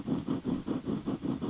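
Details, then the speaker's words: TOA loudspeaker whose magnet shifted after being dropped, magnet bolts loosened: low raspy buzz pulsing about five times a second, scraping on every stroke as the voice coil rubs in the magnet gap. "if you could hear that we're rubbing a lot"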